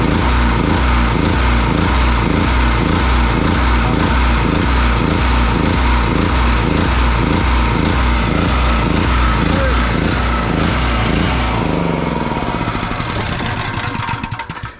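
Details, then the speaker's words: Generator surging: engine hunts about twice a second, then sags and dies. Turning the mixture screw fully in and fully out changed nothing, so the carburettor definitely needs cleaning. "i've just screwed that all the way in and nothing happened that should have stopped i they screwed it all the way out nothing happened so definitely carburetor needs a cleaning"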